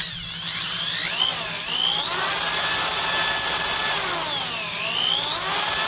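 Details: Milwaukee 5378 two-speed hammer drill, 7.5 A, 2500 rpm, after teardown and regreasing the gearbox, which had run dry and rattled; smooth whir sweeping with the trigger, no rattling or crunching; normal gearbox running.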